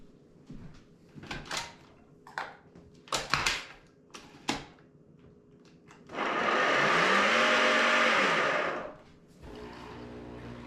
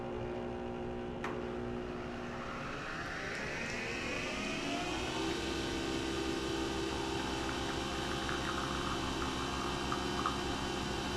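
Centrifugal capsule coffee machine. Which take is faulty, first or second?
first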